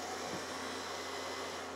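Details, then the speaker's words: Mystery data recorder tape transport on fast rewind: steady smooth whirr with even high hiss, no scraping or crinkling; rewinds cleanly without chewing tape, unlike playback. "doesn't sound like it's chewing anything up while it's doing that"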